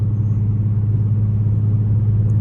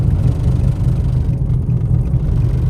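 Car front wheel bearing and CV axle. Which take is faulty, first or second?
second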